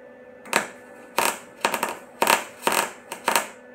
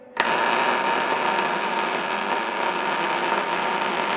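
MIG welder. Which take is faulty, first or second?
first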